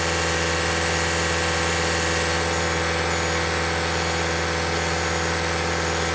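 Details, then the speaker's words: 2021 Toyota Camry Hybrid, 100,000-mile service, running to bleed air after changing engine and inverter (power control unit) coolant; about 5 minutes in, radiator fan kicks on for the first time; steady fast-idle hum with even fan rush, no knocks or rattles; normal running. "Our fan just kicked on for the first time. Probably been about 5 minutes."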